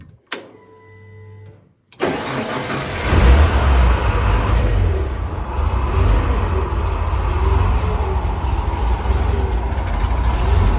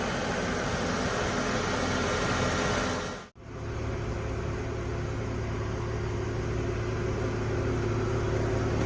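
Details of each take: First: 1970 Ford F100 with makeshift exhaust from donor truck: cranks, catches, then loud slightly uneven idle with irregular exhaust beat, rougher than before; MAP sensor noted missing its vacuum reference. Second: 1970 Ford F100 idling after its charging issue was found: a soft, even idle with a steady low hum and no knocks or misses. It purrs, quiet like a sewing machine.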